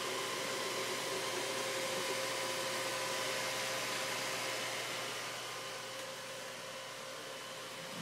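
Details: Dell XPS 630 desktop at power-on: loud, steady rushing fan whir never drops back to its usual quieter speed and Windows doesn't load; fan stuck at full speed, no boot, cause unknown.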